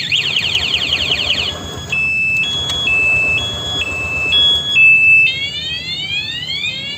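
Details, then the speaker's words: Honda Beat 2022 scooter with aftermarket HD remote alarm triggered: loud high-pitched siren stepping between tones then rising chirps, with turn signals flashing; engine cannot be started by button or kick while alarm sounds. "Nah ini dia akan mengeluarkan bunyi sirine juga nyala lampu kedipan lampu sein dan mesin motor nggak akan bisa hidup dari tombol starter maupun diselah dipaksa mesinnya nggak akan bisa hidup selama sirine atau alarm masih bunyi"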